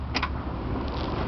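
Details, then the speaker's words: Cold diesel at 10°F, not plugged in, cranking: steady low churning with no catch, turns over but won't fire; no glow plug relay click heard, glow plugs not working, suspected frozen. "don't hear the relay clicking for the glow plugs. No glow plugs. Something's wrong."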